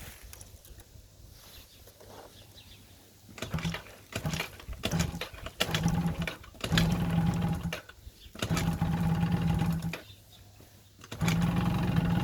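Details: Yamaha Jog scooter after winter storage: repeated bursts of starter whirring, each a couple of seconds, with no catch or firing between them; cranks but won't start.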